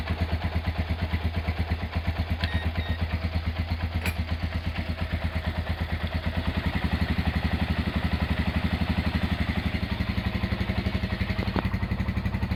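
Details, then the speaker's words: Restored Honda GL100 engine (year uncertain, possibly 2000–2002), rebuilt with Aspira GL Max Neotech piston, CDI ignition, valve clearance set at 0.10: even, steady single-cylinder thump at idle, no knocks, ticks or misses; smooth, healthy idle. "Oke, itu dia hasil peremajaan mesin Honda GL100 ya. Untuk suara mesin halus dan enak ya."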